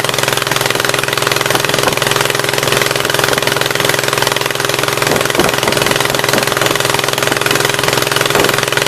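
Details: 1976 Gravely 816 twin restarted after a dose of penetrating spray (Blaster): harsh, rattly idle with a steady beat around three and a half per second and occasional stumbles, the left cylinder only partly firing.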